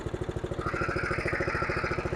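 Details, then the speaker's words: Simplicity rear-engine lawnmower, sitting 32 years, just started on a charged battery: small single-cylinder engine chugs with fast, even thumps, about a dozen a second. The plug fouled instantly on the old, stale two-stroke mix. "Yeah, that plug fouled out instantly with that old 2-cycle mix. It's no good."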